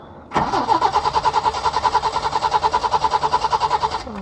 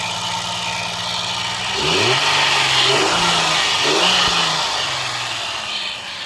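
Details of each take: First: Peugeot 505 V6 manual, first crank after sitting about 2-3 months: starter spins the engine at a quick, even beat for a few seconds but it never catches; crank no start, owner suspects long storage. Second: Peugeot 505 V6 manual, hard-start after over two months sitting: steady idle with a few quick throttle blips that rise and settle cleanly; no misfire, knock or hunting heard.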